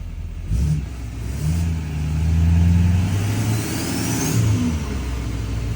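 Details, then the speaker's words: L5P diesel with newly installed Calibrated Power 64mm turbo: blips up and settles back smoothly with a clear rising turbo whistle; owner notes a definitely different sound. Normal revving. "All right. Definitely a different sound."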